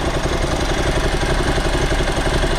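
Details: Motorcycle idling after a carburetor rebuild, not yet fully warm, with idle speed just adjusted: an even, steady low beat with no misses. The revs still drop slowly and it is possibly slightly rich, but much improved.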